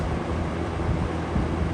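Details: Vintage McGraw-Edison Comfort fan on low speed (1.25 A, 89 W): steady airy rush with a loose, uneven low rattle underneath; something vibrating, source not pinned down.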